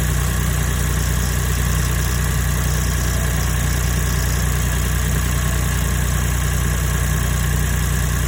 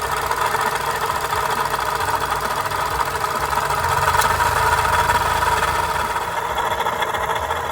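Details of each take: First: Daihatsu Copen LA400K KF engine after water pump replacement for abnormal noise: loud, steady, even idle with no whine, squeal or knocking; normal state after repair. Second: Daihatsu Copen XPLAY LA400K, KF engine at idle: constant gritty whirring hum over the engine, unchanging; failed water pump bearing noise.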